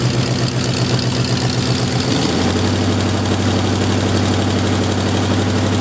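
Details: Jeep M715 army truck, old cold start after fuel injection removed and converted to carburetor; engine catches and settles within about two seconds into a lower, steady idle with an even beat, a normal carbureted idle.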